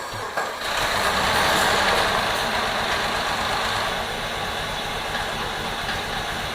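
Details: 2002 Jeep Liberty, first start of swapped 3.7 engine, intake wet from pressure washing: catches and settles into a steady but slightly uneven idle, then smooths out; rough idle.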